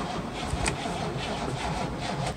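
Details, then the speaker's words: 1961 Cadillac limousine V8, long stored in a storage unit, cranked for the first time. Slow, uneven chugging as the starter turns the engine over freely, not seized; engine cranking, and it then fires. "It could possibly fire. I had thought it was going to make no revolutions at all."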